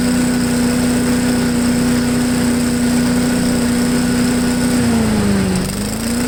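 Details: MTD push blower with 5 hp Honda single-cylinder, revived after 2+ years sitting, at full throttle on the ground: steady high-pitched drone with one brief dip and recovery; idles well, owner wants slightly more top speed.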